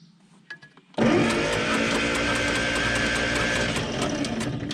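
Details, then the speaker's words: Bombardier Snow-Cat plow parked for 10 years, in neutral, ignition on: starter cranks steadily about two and a half turns per second for four seconds with no firing; no spark from the coil though coil has power. "I'm gonna say no spark. All right, so no spark, nothing out of the coil."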